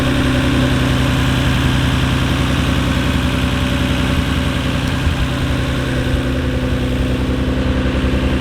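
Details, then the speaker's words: 1993 Nissan Skyline R32 GT-R twin-turbo six idling, with HKS intakes and turbos reportedly N1. Steady burbling idle at an even beat with no misfire, ticking or knock. The owner says it has always been reliable. Normal, healthy idle. "that's the car it sounds good and it's it's always been damn reliable"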